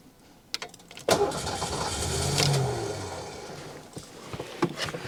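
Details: 1990 Ford Mustang GT 5.0 V8 barn find after 30 years sitting, fuel system worked on, one injector unplugged: starter cranks evenly for about three seconds but never fires; crank no start, owner wonders about immobilizer.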